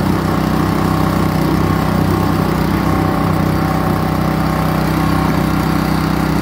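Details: Kohler SH265 6.5 HP engine newly fitted to an old pressure washer, WD-40 burning off the exhaust, exhaust suspected needing rework: loud, uneven single-cylinder running, beat stumbling rather than steady; rough running, cause not confirmed.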